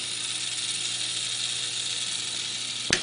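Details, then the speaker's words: Comfort Zone cradle fan on high speed: quiet fan whir with a constant hissy grinding, scraping rasp, something rubbing inside; motor not loud or high-velocity as expected. "And in addition to not being loud, there's some kind of grinding, scraping, scratching sound coming from it, which is unpleasant."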